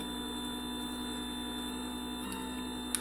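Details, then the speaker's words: Currie Electro Drive brushless e-bike hub motor rebuilt after 3 of 4 rotor magnets detached: running with no load, steady even hum with a faint high whine, no knocks or grinding; spinning freely and healthy. "hopefully it'll work well that sounds a lot better than it did before she lamps not really sure the no load currents meant to be on this as I've never run it no load"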